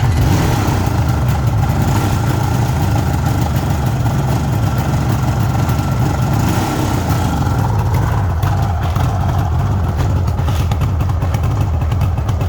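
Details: 1974 Suzuki GT750 two-stroke triple, restored about five years earlier, still cold, choke taken off on a warm day: steady, deep burbling idle holding an even pace, no misfire or rattle; owner says it takes over normally once warmed; normal idle.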